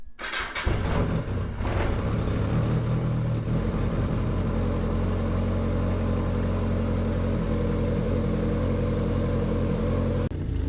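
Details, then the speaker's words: 1981 Yamaha XS1100 Midnight Special with a 4-into-1 aftermarket exhaust, first start after an oil and filter change with 3 litres: it catches after a short crank and settles into a steady, even idle while warming. It runs fine, with spilled oil burning off the exhaust. "Seems to be running okay, so we'll shut her off, let the oil settle, and we'll check the level."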